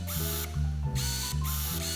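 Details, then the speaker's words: Tamron 17-50mm f/2.8 XR Di II LD non-stabilized APS-C zoom lens autofocusing: short bursts of buzzy geared whirring from the somewhat noisy but quick, accurate AF motor; normal. "unfortunately the autofocus motor is a bit noisy as you can"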